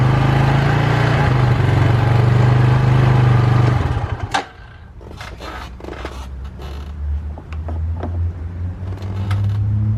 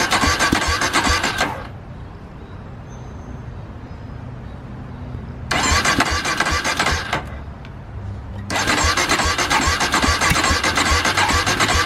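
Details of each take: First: 2005 Polaris Predator 500 ATV after DIY carburetor clean, test run: single-cylinder thump runs even and strong, then settles to a quieter steady idle, nothing irregular; normal running. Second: Polaris Predator 500 ATV, first start after DIY carburetor clean, gas in tank, no leaks: several cranking bursts with pauses before the single catches and runs; slow start, cause not pinned down.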